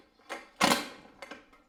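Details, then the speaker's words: Scooter kickstarter slipping when kicked: three short scraping, creaking bursts with no catch or turnover. Owner suspects the kickstarter ratchet or gear needs replacing. "Похоже, что что-то проскальзывает и издает скрежет. Это значит, что мне нужно заменить либо трещотку, либо шестерню кикстартера."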